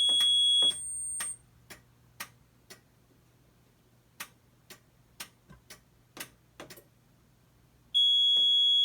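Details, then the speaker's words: Mircom FA-1000 conventional fire alarm panel in alarm from a pulled pull station on zone 9, no notification appliances connected: relay clicking in temporal code 3 groups between bursts of a high steady panel beep. "we're gonna go ahead and pull it and you'll hear the relay clicking code 3 on the panel"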